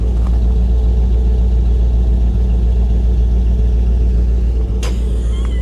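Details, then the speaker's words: Vehicle at Copart salvage auction, recorded at the exhaust, running on rotten, varnished gas: deep, steady exhaust drone at idle, even and unbroken with no misses or stumbles; running like a top. "oh wow that is ex that is rotten gas guys she is running like a top listen to her"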